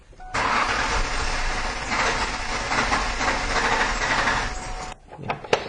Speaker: you can see we have cranking no starts so one of the first things I wanted to do is a koe o prime see if we've got fuel pump activity